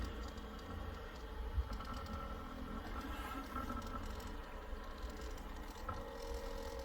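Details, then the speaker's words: New LitezAll rechargeable lithium-ion mini fan on speed one, sitting on a table: a quiet low hum with an uneven buzzing rattle, vibrating a lot and making a weird noise while still pushing good air; fan vibration noise. "it does vibrate a lot but it's pushing air yep it's pretty it's pretty uh good amount of air right there it does make a weird nose if you can hear that"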